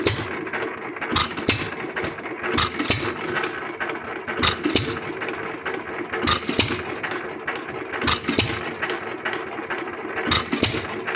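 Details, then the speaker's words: Lauson 2hp hit-or-miss engine after cam gear replacement and mixture adjustment: sharp firing pops every couple of seconds with quiet coasting, no stumbling or double sucking, no black smoke; running properly. "that's starting to sound pretty good and it ain't puffing black"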